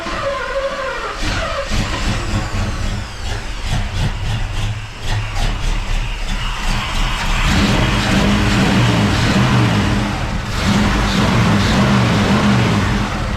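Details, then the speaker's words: 1969 El Camino SS, motorhome 454 big-block V8 with carburetor, no throttle linkage, distributor just dropped in, first run: catches and surges unevenly, lumpy and irregular; rough running because ignition timing not yet set. "Close, but no problem. I've not set the timing yet. That's just from, you know, setting her up from the initial setup, I guess."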